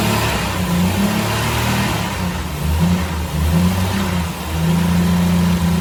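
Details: 1984 Jeep CJ7, frame-off restored: steady, smooth low idle with a couple of clean throttle blips rising and settling evenly; engine sounds healthy, normal idle with revs.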